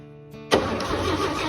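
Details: 1957 Chevy truck that sat 46 years in a barn, first start after the ignition points gap was reset: after cranking it catches with a sharp burst and settles into an uneven but sustained run.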